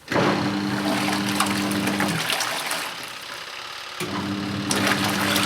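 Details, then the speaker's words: Good Ideas compact twin tub washer, model XPB35-918S, run with water and detergent before the laundry goes in: motor hum over water swirling in a vortex, running about two seconds, pausing, then restarting. The detergent mixes in with a normal wash action. "gives you an idea for the wash action you can see how the water's swirling around in a vortex fashion it's doing a good job of dissolving the powder additive and the liquid detergent into the water there"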